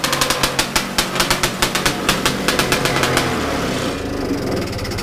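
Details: Bigbore stroker 277 snowmobile two-stroke, very first pull-start after rebuild with new sleeve, freshly installed in sled, primed beforehand, carb roughly set up: sharp rapid popping as it fires, settling into an even high buzz without misses; runs healthy.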